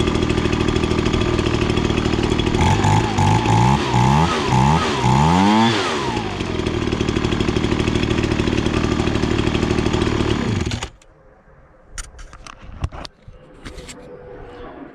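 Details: Ryobi BP42 two-stroke backpack leaf blower that wouldn't rev up, after carburetor adjustment (about half a turn): climbs in rapid bursts to a steady high scream, reaching max rpm, set slightly rich to run cooler; normal full-throttle running.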